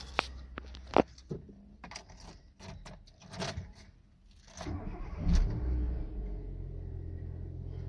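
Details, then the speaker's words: 2005 Nissan Micra K12, bought unseen at auction: key rattle, a short crank, then the engine catches and holds a steady low idle; starts readily and runs quite well. "Runs quite well."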